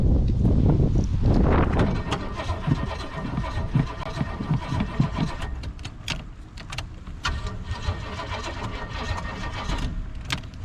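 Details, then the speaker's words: 1985 Pontiac Parisienne project car: heavy, labored cranking, then rough uneven chugging without catching cleanly; owner suspects a weak or dead battery. "Fucking battery. Weak as fuck."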